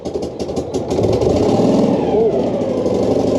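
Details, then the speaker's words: Rare air-transportable ex-military platform vehicle, abandoned and just salvaged, with its old exhaust refitted, started with the clutch depressed and out of gear; it catches and settles into a steady, even idle with a low throbbing drone and no knock or misfire. Normal idle. "There we go, the roar of all those cylinders."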